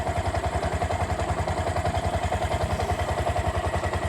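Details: Bajaj BS4 single-cylinder bike, reassembled after crankshaft problem; the problem began after an oil change: steady idle thumping about three and a half beats a second, even with no knock; healthy.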